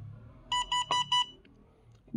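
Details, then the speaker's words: Itronics ITB200L dashcam: four quick, evenly spaced warning beeps, then quiet; sounds when no memory card is present or the card needs formatting. "되게 듣기 싫은 소리가 나. 아무래도 운전자에게 그만큼 신호를 보내는 거지, 운전자에게. 위험하다는 신호를. 이 소리. 카드가 없으면 나는 소리예요."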